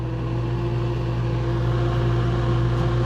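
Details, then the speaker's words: Refrigerator fan, previously vibrating and noisy, reinstalled after the rust was cleaned off: a low, steady, smooth whir with no rubbing or rattle, much quieter than before; normal running. "okay hey is working okay well actually it's significantly quieter isn't it that seems quieter you know before you could hear the noise like right here right where the thing is"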